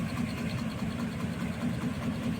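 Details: HVAC package unit, heard indoor and outdoor, compressor not running: steady low drone with a quick, uneven flutter; worn, damaged V-belt slapping on its pulleys.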